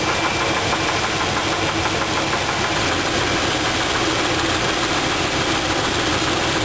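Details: V8 engine idling with valve cover off while isolating cylinders by pulling plug wires and adjusting valves to rule out a lifter; steady dense clatter stays constant, traced to a bad rod bearing on the second passenger-side cylinder, rod knock.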